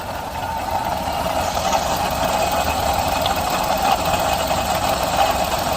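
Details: Suzuki Alto 800 with noisy engine, stethoscope on belt tensioner at idle: steady even whir, no knock, rattle or grinding. Tensioner fine; noise traced to water pump.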